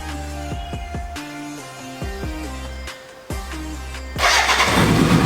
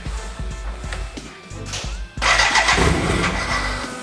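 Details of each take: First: BMW K100 cafe racer, after off-camera repair of the no-start problem: after music the engine fires and settles into an even, quick idle with no stumbling; runs nice and smooth. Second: BMW K100 cafe racer build, start attempt, neutral, choke on: starter churns about 3.5 pulses a second, more smoke and noise than last time but never catches.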